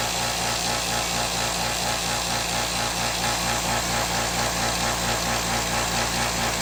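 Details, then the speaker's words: California Air Tools 2010A ultra quiet air compressor running: even fast pulsing about two beats a second over steady motor hum, no knocks; averaged about 75.5 decibels versus over 95 for old pancake compressor; running normally. "[Music] so quite a noticeable different I think you can see it was probably averaging what shows an average around seventy five and a half decimals compared to the other compressor which was easily above 95 decibels so a noticeable difference in sound"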